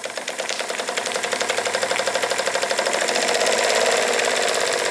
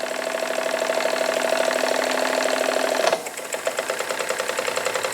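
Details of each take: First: Jensen Model 25 toy steam engine on its first run, running clockwise. A fast, slightly uneven knock at about three per second over the chuff changes with valve timing via the reversing lever; the owner thinks the valve linkage causes much of it; crank main bearing knock. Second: she is running in both directions that is very good to see safety valve is lifting a little bit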